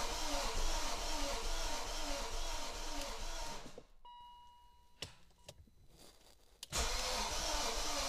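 Even, smooth idle with a steady low rhythm and no knocking or misfire stumble, interrupted only by a short quiet gap.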